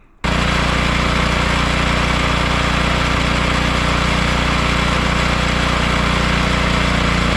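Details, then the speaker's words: Roughly 10-year-old snowblower, fuel stabilizer added, run out of fuel to empty the carburetor bowl before spring storage: engine coughs and stumbles irregularly as fuel runs out; normal fuel-starvation sputter. "So this is what it sounds like when you run your snowblower out of fuel. So don't worry if it's coughing and farting. That's what it does."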